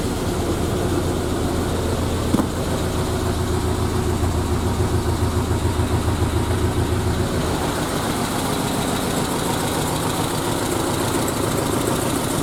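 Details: Triumph Spitfire after a head gasket failure, with the head refitted and torqued to spec, valve lash checked, and carbs and linkages reinstalled; it catches and settles into a steady, even idle with no knocks, misses or leaks.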